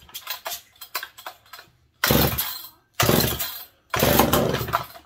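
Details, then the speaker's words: McCulloch PM700 chainsaw, first start in 20 years before pipe install, decomp in, primed, no choke: several pulls then loud short buzzing revving bursts, no runaway or screaming; starts and runs healthy. "Good proof of concept. Didn't run away, didn't do any weird screaming. Third pop, fourth pulled over. Runs. Beautiful."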